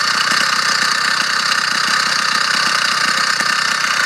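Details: Small two-stroke motorized bicycle engine running fine and strong with a light metallic rattle ticking inside the engine, source unknown, internal engine rattle.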